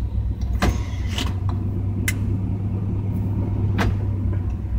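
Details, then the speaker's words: 1989 GMC truck with no rear end and a broken front passenger drive shaft, idling: steady idle with sharp clunks as the shifter goes into neutral; reverse works but forward gears seem missing, so a transmission fault is suspected. "you can hear it you can hear it kick down when you go into ear neutral there's not as much of a kick down role in the for off forward though"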